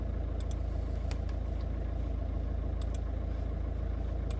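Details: 1.9 TDI VW-group diesel that would not start on fault 000802/P0322 (no signal from the G28 engine speed/crankshaft sensor), with its wiring suspected: a low, even rumble with a steady beat and no misses, a healthy idle.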